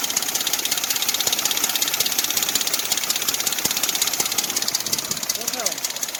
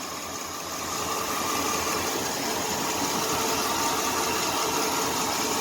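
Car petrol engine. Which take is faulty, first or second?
first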